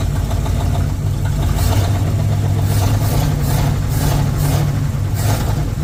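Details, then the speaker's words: 1959 Ford Vanette, 272 Y-block V8, first run after long storage on gas poured into the carburetor (fuel pump faulty): steady idle with deep rumble and faint clatter, a little noisy, maybe from old oil; good oil pressure on gauge. "runs pretty decent I did have an oil pressure gauge hooked up it does have good oil pressure a little noisy cuz it's been sitting and God knows what's in the oil"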